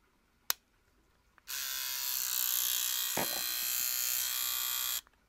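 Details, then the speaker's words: Cordless trimmer, pre-charged and fitted with a free replacement blade head: about three and a half seconds of shrill, rasping high buzz with hiss; runs harsh and noisy, not cutting, unlike when new; cause not clear. "that sounds awful that sounds absolutely awful that did not sound like that at all when i first got it before i did any of these videos it did not sound like that"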